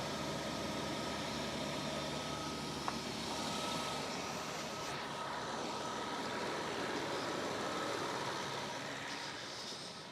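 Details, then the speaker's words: BMW idling just after a fuel filter change: quiet, even idle with a light steady hum and normal injector ticking. The earlier rev-linked knocking, like mild rod knock, is no longer heard. "That ticking, that's fine, that's just the injectors. It's more of a knocking noise I was getting. Which yeah, we're not getting that."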